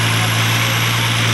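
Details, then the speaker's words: Nissan Altima SE-R at idle after intake manifold replacement: thin, constant high whistle over steady idle; intake vacuum leak traced to catch can hose at intake, to be resealed with Teflon tape. Vacuum leak. "And I don't know if you guys can hear that whistling noise, but it's definitely an intake leak. And I found that it's coming from my catch can."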